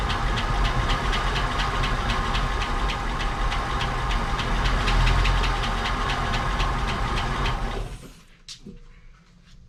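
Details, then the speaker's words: 1959 Cadillac project car, unstarted for 11 years, run on a proper fuel supply after cleaning points and checking plugs: steady light ticking about four a second over a lumpy idle, then engine cuts out; noisy lifters or sticking valves suspected. "well it runs sounds like it's got some noisy lifters sticking valves all kinds of fun stuff but can get that fixed"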